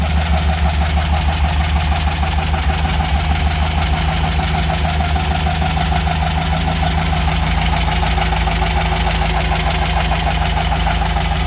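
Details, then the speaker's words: VW Beetle (Fusca) air-cooled engine at hot idle: fast dry metal scraping tick about three per second; owner suspects something dry and not lubricating, oil light coming on, one cylinder head more burnt and overheating; cause unconfirmed. "nem ficar tipo assim quando tá na marcha lenta fazendo um barulho assim como se tivesse raspando a seco mesmo né"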